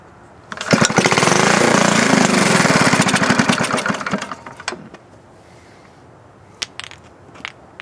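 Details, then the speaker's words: 1951 Briggs & Stratton 6S engine being converted to hit-and-miss, carburetor cleaned, needle valve just opened, cranking: rapid even beats with sputtering firing that never catches; spark and compression good, only a little fuel getting through. "oh we got spark compression sounds like he's getting a little fuel"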